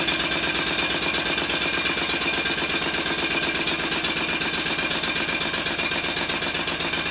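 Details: Completed Stuart 5A model steam engine running on steam in the garden, shorter exhaust pipe: quick, even exhaust chuffs about two to three per second, steady throughout; runs sweetly and smoothly.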